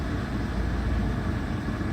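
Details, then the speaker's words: Volkswagen GTI with a brand-new professionally installed crate engine, probably under 200 miles, after a side collision: low, even petrol idle hum with no ticking, knocking or hunting; running healthy. "no problems with this motor absolutely zero it's brand-new crate motor"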